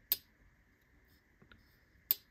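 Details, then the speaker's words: Jack Wolf Gunslinger Jack knife after swap to Skiff bearings, previously gritty: two crisp, clean clicks about two seconds apart with no gritty rasp; smooth action, quieter than before. "I mean it's super smooth before it was a bit gritty now it's like me can still hear it but it's not nearly as loud and that's just gonna get even better"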